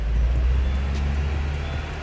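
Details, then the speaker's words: Peugeot 307, cylinder head redone four months earlier, on a road test pulling in second to fourth gear near 100 km/h: heavy drone with a faint regular tick and shaking from a worn tripod CV joint on the driveshaft. "Ó, o jogozão cabuloso, o semi-eixo. Você vai ser a trizê também, velho. Não, vai ser não. É a trizê. É a trizê."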